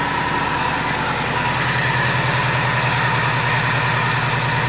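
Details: Subaru Forester XT 2.5 turbo EJ25, rebuilt on an 800 hp closed-deck block after blowing up, initial startup on break-in tune: even, steady idle with deep regular burble, no knocks, misses or rattles; sounds balanced, something burning off.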